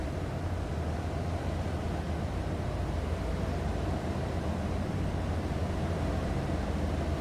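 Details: 1990 Ford F-150 XLT Lariat regular cab longbox, 85,803 actual miles, idling right after a cold start: steady, even low rumble with no knocks, ticks or misses, settling into a smooth idle; oil pressure and battery gauges good.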